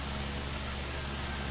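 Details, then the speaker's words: Electric fan with shafting/bushing problem, previously stiff with no freewheel and reported noisy; now running: steady low hum, smooth even airflow hiss, no whistle or squeal; no noise observed, normal. "So ngayon Ah ayun naobserbahan natin na walang ingay no"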